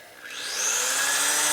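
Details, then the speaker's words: Drilling out a heat-treated set screw on a 1999 80ci Evo Harley chopper at kept-down speed: drill spools up with a rising whine, then settles into a steady even cutting hiss as the bit cuts a good chip. "it starts cutting a good chip that's a good"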